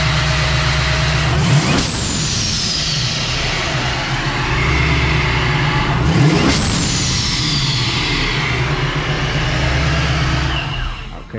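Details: Turbocharged 3rd-gen Camaro after the disconnected blow-off valve was fixed and vacuum routed to the fuel pressure regulator: revs cleanly with two sharp whooshing boost releases as the throttle closes, then settles evenly; running properly.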